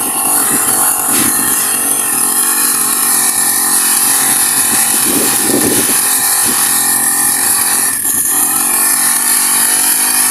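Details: Honda GX35 grass cutter, after cleaning its dirty carburetor (stalling/no-start fault): high buzzy note holding steady with brief throttle blips, no misses or stumbles; runs clean and healthy.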